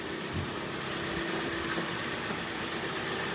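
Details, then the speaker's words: 2015 Kia Sportage facelift, G4NA engine, automatic AWD, 131,000 km, warmed to 90°C after repair of a knock (scoring, broken catalytic converter after engine washing), heard from outside: quiet, even, smooth idle with no knocks or ticks. "работает ровненько работает тихо"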